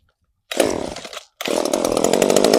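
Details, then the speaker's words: Echo CS-3450 chainsaw with newly fitted replacement carburetor, not yet tuned, after many pulls; fires and buzzes under a second, dies, then catches and runs raggedly at high revs, barely staying alive; hard starting before carb tuning. "Oh, we're gaining something. We're doing something now, folks. If I can just get her running for a minute, I can tweak the carburetor."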